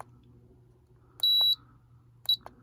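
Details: Woozoo table fan, button pressed: two sharp high beeps, one longer then one short, each press; normal piezoelectric buzzer on the control board confirming input, before muffling.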